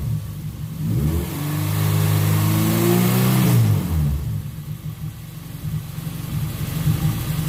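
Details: Car engine after cleaned and flow-tested fuel injectors fitted, previously had a 3,000 rpm lean spike: climbs smoothly through a rev and drops to a settled idle with no hang or stumble; now runs cleanly.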